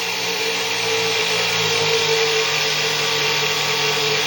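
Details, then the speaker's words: Six-pole zero force motor, wider 1.5-inch neodymium magnets, about 1/8-inch coil gap, 48 V, started near 4000 rpm then loaded: steady lower-pitched electric whine with faint hum, motor pulled down, BEMF pattern widened; slowing under load. "you'll notice that it's really bought down quite a bit and the pattern on screen is pretty much extended"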